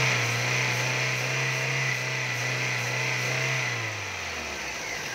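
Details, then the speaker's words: 2002 Toyota Altis with a 1.8 (1794 cc) engine, original and unopened. The engine revs up smooth and even, then settles back with no knock, miss or rattle, and runs quietly; it sounds healthy. "Máy êm ru. Anh chị test từng máy cho anh chị xem nè."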